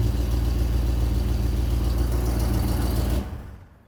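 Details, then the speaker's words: 1964 Chevelle that sat for years, first start after installing a new mini high-torque starter: even low burble around three and a half beats per second, no misses or knocks, then shutdown; fired easily, idles normally. "i want to check a few things but darn that sounds pretty good and fired up pretty easily for a car that's been down for a while"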